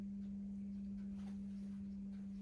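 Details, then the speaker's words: 1985 Pontiac Fiero project car at first start after sitting, mouse nests blown out of the exhaust: loud, steady low hum at idle; source unknown, owner says it is not the fuel filter or fuel pump. "really bad humming noise. I don't know what that is. Not the fuel filter or fuel pump."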